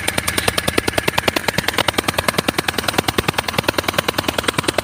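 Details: Engine at idle: sharp, evenly spaced puffing ticks, several per second, from compression blowing past a bad injector seal that also leaks engine oil; the fix is replacing the injector seal.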